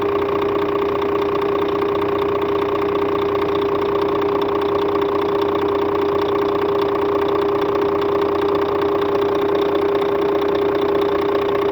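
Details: Scania K400 bus, DC13 13-litre 400 hp (at 1900 rpm) diesel at normal operating temperature, customer-reported strange noise: even idle with a steady mid-pitch whine and faint regular ticks near 150 per minute; abnormal engine noise, cause unidentified.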